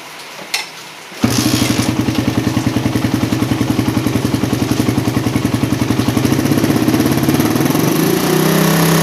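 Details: Single-cylinder motorcycle with a PE28 carburetor rejetted (pilot and main jets only), air screw not yet set, standard exhaust with baffle partly opened: crisp, even popping that climbs smoothly on throttle with no stumble; normal revving.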